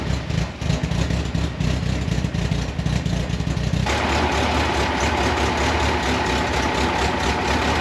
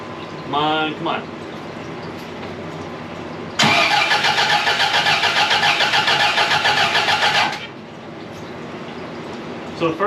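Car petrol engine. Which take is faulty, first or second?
second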